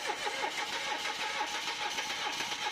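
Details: Mitsubishi Mirage cranking: even rhythmic cranking around three to four beats a second that never catches; no power reaching the ignition coils, so crank no start.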